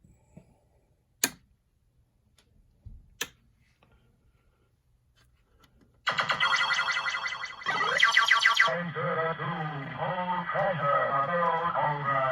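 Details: Williams System 6/7 sound board from a Pharaoh pinball, after replacing ROMs, sockets and a dead 6821: a few relay clicks at power-up, then loud electronic tones and sweeping synth effects cycling cleanly and repeating; the board works properly.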